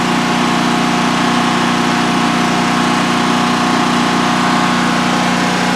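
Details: New DuroMax XP15000HX generator in a shed, running on propane for its second start-up with the exhaust fan off: a constant, steady drone and fixed hum with no surges or misses during a 5-minute check. Normal even idle, no issues.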